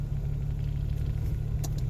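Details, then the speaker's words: Geo Metro engine after in-place rebuild (honed, re-ringed, rebuilt head, new rod bearings), before break-in, after high cold-start idle settled: smooth, even low idle, maybe slightly high, no misses, knocks or ticks; normal idle. "Maybe a little high still, but it sounds pretty good."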